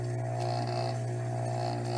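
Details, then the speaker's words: Rebuilt Tsurumi 12-PN pump motor running after reassembly: steady, even low hum with no grinding or rattle; bearings working fine, smooth-running motor. "You hear that? Nice, smooth, no grinding noises. The bearings are working fine. This is a sweet little motor, okay?"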